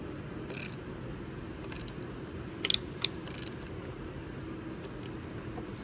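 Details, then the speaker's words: 2009-2013 Toyota Matrix 2ZR-FE after timing chain tensioner replacement for oil leak, engine turned slowly by hand before first start: a few scattered light clicks, the new tensioner ratcheting normally. "safer you could hear the ratcheting when I initially got there I don't know so that's all uh I listen for is that ratcheting noise"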